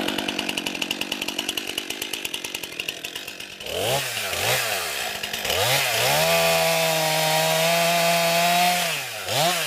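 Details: New 50cc two-stroke chainsaw, about ten pounds, cutting firewood on a cold day: crisp idle pops, then revs up and holds a strong steady note through each cut without bogging; lots of power for its size, healthy.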